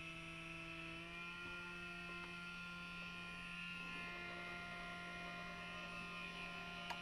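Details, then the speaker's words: Reproofed Novak Ballistic sensored brushless motor for an Axial SCX10 Rubicon, plugged in for its small-tub water test, holds a steady, even hum with no rasp or surging; it is running cleanly. "here's the motor everything's plugged in i'm gonna put it in a small tub of water to start with motors working at the moment"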